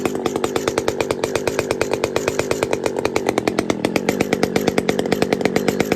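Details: Pioneer P-41 chainsaw with big-bore kit, running: crisp, even two-stroke scream at steady high revs with regular firing pulses, no stumbling or misses; normal running.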